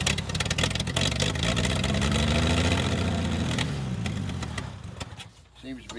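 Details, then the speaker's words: Long-sat Toro Parkmaster tractor, run from a hose in a gas can with the tank removed: it catches and runs a few seconds, then revs sag and it dies, burning only the poured-in fuel. Owner suspects a fuel pump with dried-out rubbers. "running just long enough to use up the gas that i poured into it"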